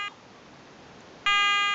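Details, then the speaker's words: Garrett ATX pulse induction metal detector running its frequency scan, which sweeps all frequencies for about 30 seconds to pick the quietest: a short high beep, a pause, then a steady clean high tone; working normally. "just scanning all the available frequencies and it's going to pick the quietest one this goes on for 30 seconds"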